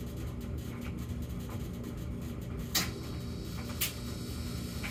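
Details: Samsung gas dryer with an intermittent humming problem (high hum 14 s, low hum 38 s, then quiet for minutes) in its quiet phase: even low drone of the drum turning with soft knocks from tumbling clothes, no hum, normal running.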